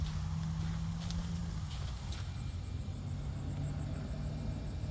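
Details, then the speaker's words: A Toyota that won't start, heard at the fuel pump with its circuit jumped: a faint, steady low buzz. The pump runs, so the pump itself is good and the pump command from the car is missing. "All right, so the fuel pump is actually running. That tells me the fuel pump itself is good."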